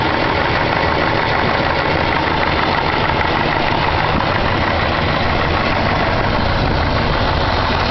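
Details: 454 big-block V8 idling steadily with a rapid, faint rhythmic knock buried under loud engine noise; owner asks what type of knock, cause not confirmed.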